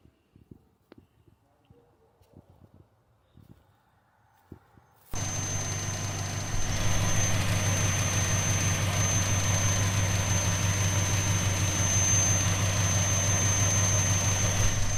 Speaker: you guys can hear that right the vacuum leak responsive when she's nice and warm isn't she